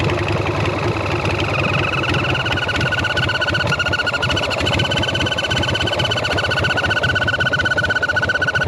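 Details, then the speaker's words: Sportster bobber V-twin on its first test ride after the rebuild, after a carb backfire. Uneven idle with a thin whistle rising over the beat. The vacuum line looked fine; an air leak around the carb or intake manifold is suspected. "Well, that was a weird noise. I'm I'm hoping that's just an air leak somewhere."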